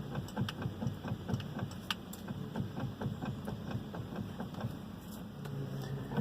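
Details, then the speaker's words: Volvo XC90 with idling engine, wheel turned: sharp, uneven knocks about twice a second from the steering column; owner feared the steering rack, but the worn steering shaft universal joint was at fault. "три дня назад хозяин вольвы услышал в рулевой колонке вот такой характерный стук"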